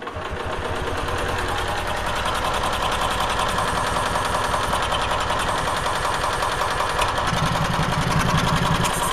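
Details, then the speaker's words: Onan generator on a jump pack, reading 160–170 volts at each outlet, throttle won't go back further to idle down: a fast, busy, uneven rattle that never settles to a slow tick; idle speed far too high. "so i think this is idling at idle way way too fast"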